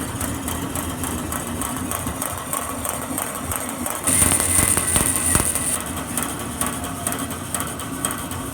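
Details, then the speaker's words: Grob 4V-36 bandsaw running. A light, uneven tick repeats a couple of times a second over the hum, as the rough blade weld catches the blade guides, which look like new. The blade itself is straight. "Blade's straight, it's just picking up on that weld, Yep. hitting on the blade guides or something."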